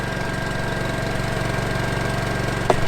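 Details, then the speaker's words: Honda EU2200i dual-fuel inverter generator in truck camper compartment, eco mode charging batteries, heard from about 15 feet: smooth, even low idle with light fan hum, cooling fan the noisiest part; normal. "We're about 15 feet away from it. It's pretty quiet, and I think the noisiest part of it is actually the cooling fan."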